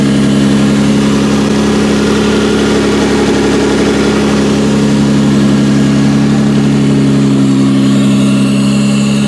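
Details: 1992-1996 Toyota Camry V6 on a homemade standalone harness, terminals just tightened, air intake fitted, no key, in drive: smooth even idle with steady low hum, no knocks, misses or hunting; normal healthy idle.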